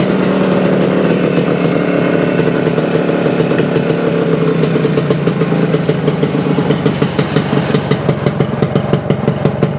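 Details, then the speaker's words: 1975 Suzuki TS-250 two-stroke with 6-volt system, first start after a no-start fix: stator rewired, paint scraped off frame for coil ground, coil remounted, cap replaced. Runs on its own with crisp, fast ring-ding crackle, steady, a few blips, no misfire; running properly. "well she runs it had to do something with the wiring or the coil or something that because that's all I did rewired the stator and scraped the paint off of the uh frame remounted the coil"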